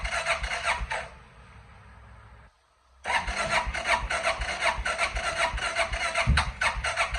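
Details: 2005 Suzuki King Quad 700 cranking in quick repeated strokes, pausing, then cranking again at about three turns a second without catching; hard starting.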